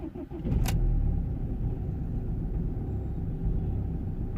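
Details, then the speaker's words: BMW X3 2.0d diesel, cold start after sitting about a week and a half, engine and glow plug lights on, intake noise complaint: catches and idles slightly lumpy for a few seconds, then smooths out. "Okay, a little bit lumpy. No, now it's running fine."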